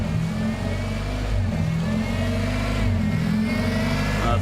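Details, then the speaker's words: Honda idling with a vacuum gauge attached: idle wanders up and down, tone changes when the PCV is blocked by finger; surging idle from a PCV valve suspected stuck open, causing a vacuum leak. "yep i think the pcb stuck open because you hear it now i changed the tone"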